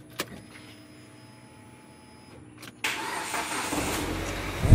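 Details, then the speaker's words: Proton Saga FLX that clicked tak-tak-tak and wouldn't start: after cleaning and greasing the terminals and jump-starting from a Kancil battery, the engine cranks, catches cleanly and runs steadily, showing a weak battery, not a starter fault. "Okey nampaknya enjin sudah hidup bermakna bateri ada masalah ya tidak bertenaga."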